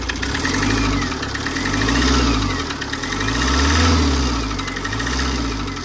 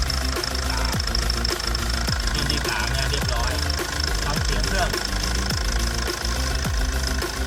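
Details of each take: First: Tata 2.2 diesel, hard starting, revved in slow swells with a hard, steady knock deep inside the block; teardown found cylinder 2 piston damaged, warped head, leaking water pump, seized injectors; internal engine knock from a damaged piston. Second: Tata 2.2 diesel idling after repair for hard starting and a loud knock: cylinder 2 rebored with new piston, head skimmed, valves ground, rod bearings, water pump, injectors 2-3 repaired and coded; after a 60-70 km test drive it starts easily and idles steady, knock gone.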